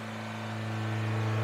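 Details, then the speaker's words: Suzuki Sidekick first start-up, just fired and still cold, no smoke: fast, steady idle near 3,500 rpm, hum creeping slightly higher; high idle. "sure be nice if it didn't idle quite that high"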